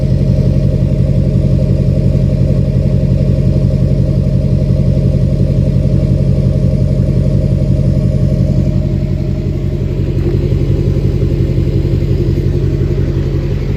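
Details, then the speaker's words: 2006 Chevy Silverado LBZ Duramax diesel, DSP5 tune, new 5-in exhaust with minimal Diamond Eye muffler: deep even rumble with steady low pulses, felt vibration, no knocks or misses; normal idle. "And the video doesn't do justice, but you can feel the vibration. Sounds so good. Sounds mean. Love it."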